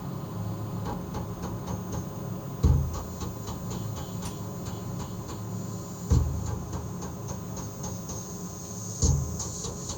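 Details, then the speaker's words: DIY Dark Art CNC, servo-driven axis stepped back and forth 10 microns at a time: three dull clunks over a quiet motor hum, one at each direction reversal, instead of a small zip. Suspected backlash or something loose; servo tuning to be investigated. "I definitely do uh can hear a difference uh whenever I change direction. It kind of sounds like there was almost a bit of a clonk, uh if you know what I mean, instead of just a small uh zip uh sound."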